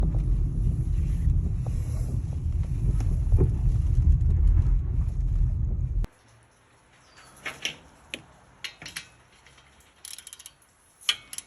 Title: 2019 Toyota Rav4 knocking noise after someone replaced the brakes. Finger torqued bolts will do it.